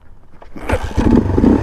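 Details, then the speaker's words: 1982 Honda XL500R single, hot start after holding decompression lever and kicking about 15 times, then finding top dead center: quiet, then catches on the kick and picks up into a lively, even beat; clean hot start. "kick there you go there's your hot start procedure right there"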